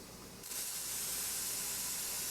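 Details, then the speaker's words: Traditional stovetop pressure canner venting before the weight goes on: after a quiet start, a constant even hiss with no sputtering or spitting; steady steam venting, ready to start timing the vent. "you hear how it's not not sputtering at all but it is just a straight steady type noise"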